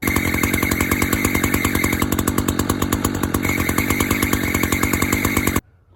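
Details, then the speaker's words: Echo CS-590 chainsaw at idle: steady two-stroke idle with a thin high bird-like chirp coming and going every few seconds near the clutch side; owner suspects sprocket or chain brake, unconfirmed, saw otherwise works. "But yeah, guys, I don't really know what that is. I'm guessing it has something to do with the chain brake, but I guess I'm gonna have to do some research and see what it is, what there is to fix that"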